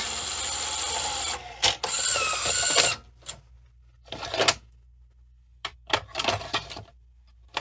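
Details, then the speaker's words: 1986 Sony SL-700 Super Beta Betamax VCR: on eject, short whirring bursts and clicks start and stop irregularly with silent pauses, a hesitant, very odd eject; dirty switches are suspected. "that just dirty switches it seems a little hesitant doing things"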